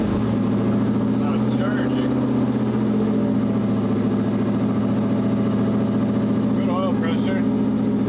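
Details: Audi Quattro race car with 4-turbo LS V8 swap and AWD, first start after an engine-hoist rebuild, warming up: steady even low rumble, smooth firing beat, no knocks or misses; normal idle.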